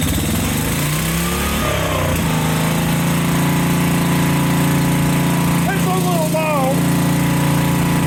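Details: Generac SVP 5000 generator, previously no spark/no start, after fitting a brand new carburetor, started unchoked with a drill plugged in: catches and settles into a steady, even run, no misses, surges or knocks; running normally.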